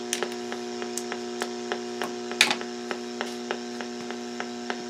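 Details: Portable radio on AM broadcast band between stations near A&H 12 V 4 A switch-mode pulse repair charger in pulse mode; steady buzzing hum with sharp ticks about three per second: charger RF interference making AM/SSB reception nearly unusable.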